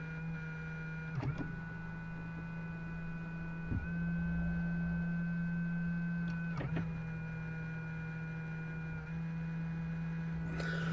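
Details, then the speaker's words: 2007 Hyundai i30 folding door mirror: steady low electric motor hum runs constantly, key on or off, shifting pitch at each button press; mirror does not move or reach its end stop, so the motor keeps running. "But because the mirror never meets the close or opening point, the motor is just keep going, try to make the mirror to get there."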